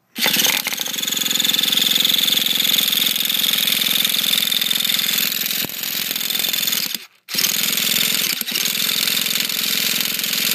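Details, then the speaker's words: T-Maxx nitro at stock needle settings (high speed 2.5 turns out, low speed flush), new glow plug and fresh fuel, not yet purged: high-pitched starter whirr and chatter, pause, more cranking; turns over but won't fire. Owner plans to richen high-speed needle. "not much happening in stock so what I'm going to do next is pull out that high speed needle a bit"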